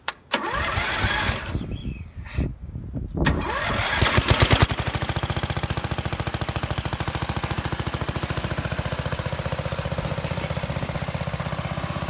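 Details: MTD lawn mower being built into an off-road mower, first start after spark was restored: cranks and sputters a few seconds, then catches and settles into a steady, even beat with no misses or knocks; normal running.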